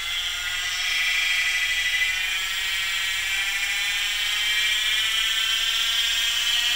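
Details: PM-25MV milling machine spindle at full 2,500 rpm with a tight-fitting 3D-printed bushing locking spindle and drive pulley as one piece: smooth steady high-pitched whir, no rattle, knock or chatter; normal, quiet running.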